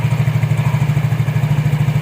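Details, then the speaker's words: Yamaha Mio J scooter after replacing the V-belt and rear pulley parts, the noise having come from a worn seal and a damaged pulley-housing bushing: even, steady idle at about seven pulses a second with no rattle, squeal or belt slap. "Ini lancar, saudaraku."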